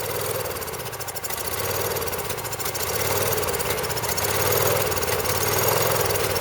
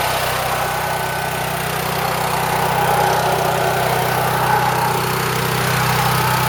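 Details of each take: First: Champion Power Equipment generator (6,000 W running, 7,000 W peak), sat about 2 years. It runs rough and uneven, surging and sagging, and stays lit only on sprayed carb cleaner. Fuel starvation from a stuck carburetor float. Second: Champion Power Equipment generator (6,000 W running, 7,000 W peak), sat about 2 years, new battery. It runs loud and steady with an even single-cylinder drone and no surging or misses. The mechanic says Champions run lean.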